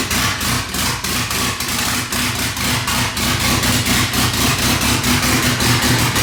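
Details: Mitsubishi Evo 9 with built motor and new turbo setup on first start, open exhaust with no downpipe, straights fitted and vacuum lines temporarily capped: loud, blatty idle with an uneven pulse around four per second that lopes and stumbles; rough idle.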